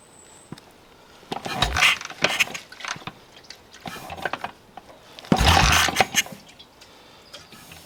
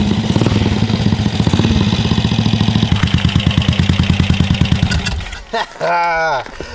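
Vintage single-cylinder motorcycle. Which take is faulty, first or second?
first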